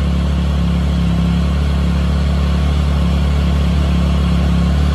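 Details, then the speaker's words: Triumph Tiger 1050 after initial start with new electronics, balancing throttle bodies via TuneECU: steady deep idle with faint uneven pulse; two throttle bodies out of sync with the third, adjusting from cylinder one. "these two are not sync with this one okay so I'm going to put them on to 6600s and I'm going to start with cylinder one then"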